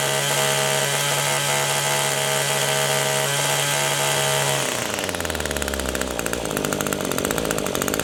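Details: Echo two-stroke power tool carburetor at full throttle: a steady high-pitched scream sags to a lower, rougher note as the high-speed mixture screw is turned clockwise; rpm drops from the mixture adjustment.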